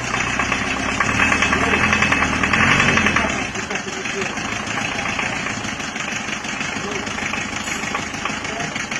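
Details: Diesel after new liner, piston rings and mechanism fitted, previously run out of coolant; hard uneven knock about three per second over rough idle, traced to a dead injector nozzle.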